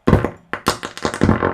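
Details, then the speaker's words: NAD 7020 stereo receiver on variac, AC input raised from 90 V past 100 V, volume up: irregular sharp pops and crackles in uneven bursts, one channel lost at 100 V; leaky capacitors making muting circuit misfire. "it kind of crackles really high. But here's the weird part."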